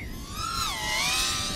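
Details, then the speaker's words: iFlight Tachyon 1408 4100kv motors in flight: a high-pitched whine that wavers and swoops unevenly. This is prop oscillation or vibration from a loose tune, not a motor fault. "you can hear the props you have some kind of oscillation but some sort of a vibration or something that's right there you can hear right there it's not because of"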